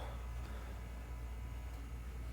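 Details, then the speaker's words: Horizon Oxford 3/6 rower at power-up after assembly: faint, steady low hum from inside with no clicks or grinding, the motor setting the resistance; normal resistance motor hum. "you'll hear a little humming inside that's just the motor setting the resistance"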